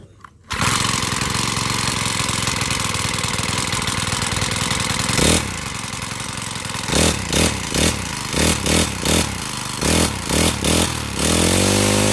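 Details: Honda GX35 four-stroke brush cutter, after carburettor cleaning and raising the needle for freer fuel flow, starts, holds a steady buzzing run and answers repeated throttle blips cleanly without dying; running normally.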